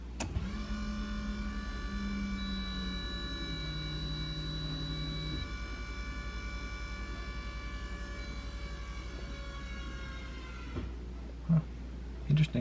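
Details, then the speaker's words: Nissan Skyline R32 GTR after fuel filter replacement, key turned to on to prime: steady electric buzzing whine and hum from the rear pump for about ten seconds, then it cuts off. The pump is priming the new filter normally. "you can hear the fuel pump in the back you'll be able to hear kind of a buzzing noise or humming noise that means your fuel pump is pumping fuel back into your fuel filter"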